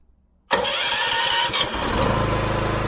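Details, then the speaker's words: Newly built AR45 gas roof pump on its first startup, at half throttle with the trigger open and on bypass: a brief crank, then it catches at once and settles into a quick, even beat of about four per second while warming up. Normal start. "let it warm up a little bit let it warm up a little bit things running good running smooth liking it"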